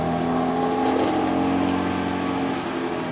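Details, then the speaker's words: BMW M3 Competition, recorded under the car in third gear after fixing park brake cable clip touching the driveshaft: rear wheel spins smoothly with steady hum, no ticking, faint handbrake drag needing adjustment; not the bearings. "and this is third gear and as you can hear no more ticking sound well that's kind of good news that's very good news"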